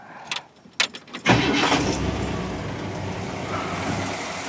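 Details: Pink Cadillac, original never-rebuilt V8 after an engine fire, with new timing chain and gears, upper gaskets, carburetor, belts and hoses: keys rattle, a quick crank, and it fires straight up to a steady, even idle with no knocks or misses.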